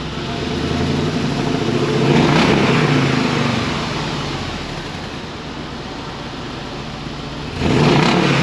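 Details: 2005 Dodge Ram 1500 4x4 Hemi swap with new glasspack replacing the blown muffler, recorded from under the truck near the tailpipe; deep even V8 rumble swelling with throttle blips, settling back cleanly, no rattles or blowing: healthy exhaust.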